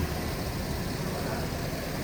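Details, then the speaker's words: 2006 Hummer H2 V8, dealer serviced, recorded walking past the engine at idle: steady, even low rumble with no knocking or lifter ticking; normal, healthy idle. "we'll walk by the engine and show you how good this sounds there's no knocking there's no lifter noise there's no engine noise"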